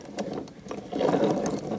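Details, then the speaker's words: Original engine of a 1978 Suzuki TS250 two-stroke, cylinder missing and water got inside, turned by hand: uneven, gritty scraping and ratcheting instead of a smooth turn, from internal rust. "Water got down in here. Look. That should not make that"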